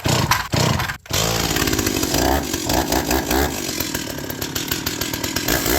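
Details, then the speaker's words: Stihl 028 WB chainsaw, unused about five years, bar oiler problem, started on choke before disassembly: fires crisply and holds a strong, steady two-stroke buzz with clean revs and no stumbling; normal running. "like it was born yesterday"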